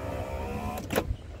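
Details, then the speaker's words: 2004 Isuzu Panther LS Black Panther: the power window motors whir evenly, then a soft thunk as the glass stops; the driver's, front-left and both rear windows all work normally. "power window-nya untuk yang sopir nyala. Untuk yang depan kiri eh power window-nya juga nyala."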